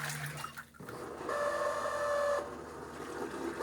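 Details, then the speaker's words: Fisher & Paykel Smart Drive washing machine at the drain stage of the first rinse: a thin, steady mid-pitch squeal over a soft hum, a noisy, squeaking drain pump needing a fix; it sounds better after attention. "that drain pump sounds a bit noisy doesn't it we might have to fix that"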